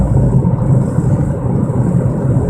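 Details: 1997 Mercury Mystique while driving: heavy steady low droning roar in the cabin that starts when accelerating and grows louder with speed. Owner suspects a wheel bearing or rotors, not confirmed.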